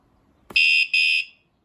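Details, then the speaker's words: wsdcam 113 dB wireless vibration motion motorcycle alarm, armed and bike lightly moved: a bump, then two short shrill beeps about a third of a second each; normal movement warning chirp before the full siren. "just a little warning a little more movement yep sounds good"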